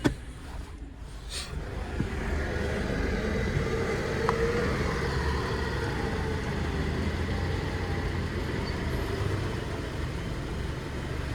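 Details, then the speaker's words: Subaru Exiga YA5, 2010, EJ204 engine with automatic 4WD, tested in Japan before dismantling: steady, even idle with smooth low rumble, no dips or surges; normal idle. "Двигатель работает ровно, обороты не плавают."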